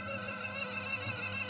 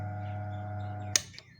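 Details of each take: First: Hatari stand fan before repair, running on speed 1: a thin, wavering squeal over slow rotation. Causes were a worn front bearing (replaced with a 6202) and a degraded capacitor (3.5µF measured 1.9µF, replaced with 4µF). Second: Hatari stand fan on speed 3 after repair: steady even motor hum broken by two switch clicks, no rattle; previously slow and noisy from a weak capacitor (3.5uF reading 1.9uF, replaced with 4uF) and a worn front 6202 bearing, replaced.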